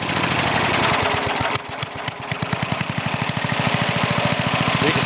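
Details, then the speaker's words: Older Briggs and Stratton, one-piece Flo-Jet carburetor, high-side mixture: idles great, but breaks into uneven chugging pops three to four a second on throttle with black smoke, loading up; main mixture too rich. "it idles great but as soon as you get a throttle it starts chugging black smoke running to rits trying to flood out"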